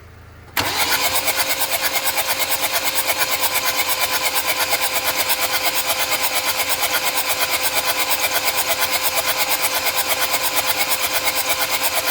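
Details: 2014 Hyundai Santa Fe: steady cranking at about three beats a second for eleven seconds, engine never catches; crank no start, checked with a spray test and injector test.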